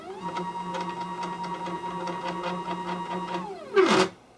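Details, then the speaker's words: MDF CNC router stepper motors on a new controller with a higher-voltage power supply: steady low hum with whine while the axis moves, short clatter at stop; different initial hum on all axes, cause unknown, movement accuracy unverified. "the only thing i'm not sure about is it it's making a it's a different noise there's initial hum and uh and all that and it does it on all the axises"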